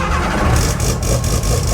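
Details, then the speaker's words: Mazda RX2 rotary race car sitting a couple of months, fuel pump primed and oil pressure built: fires first time off the key into a deep, steady rotary burble with no misses or knocks; healthy idle. "we go so fired first time off the key which is pretty good for a couple of months pretty good for a race car too means your engine is pretty healthy"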